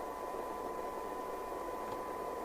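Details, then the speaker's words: Team Euro3100UK CB27/81 CB radio base station on the bench during service alignment, squelch turned down after the receive frequency check: steady even hiss with a faint constant tone, no crackle or dropouts, normal healthy open-squelch receiver noise. "Right, let's switch the cyanide meter on, put that up on the camera, and move it a little bit. Turn the squelch down."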